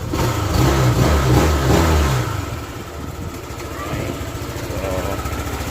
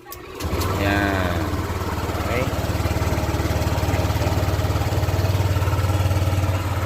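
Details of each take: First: Honda Click 150 with a hard start and loss of compression, rebuilt after a broken valve: after a brief rev the engine settles into a steady, even idle with no misses or knocks; runs nicely now. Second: Honda Click 150 with a hard start and loss of compression, just rebuilt after a broken valve, idle lowered slightly: steady low putter, faintly uneven and a little rough; ECU reset with diagnostic tools still to be done.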